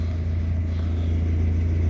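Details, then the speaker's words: 1991 Mazda MX-5 first edition: deep, steady engine hum with a fast, loud buzzing rattle around 2,000 rpm from under the dashboard, traced to the upper of two coolant lines vibrating and knocking there. "it's a really annoying noise around 2,000 RPM really loud actually - so you can't talk with each other when the noise is going on"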